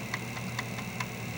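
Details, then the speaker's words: Commodore 1541 drive under diagnostic-cart control: sharp, even ticks about four or five a second as the head steps back toward track one; healthy stepper, unlike the owner's other drive with the stepper problem. "I have complete control of the stepper motor with this program here I'm just hitting F 3 and F 1 to move it backwards and forward"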